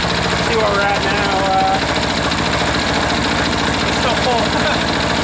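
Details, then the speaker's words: Freshly reassembled air-cooled diesel engine slowed to a low idle the owner estimates at about 500–600 rpm; steady, even clatter with regular firing and no misses or knocks. Normal idle. "there we go that's a nice little idle right there even kind of getting away on me that's probably 5 600 RPM maybe there"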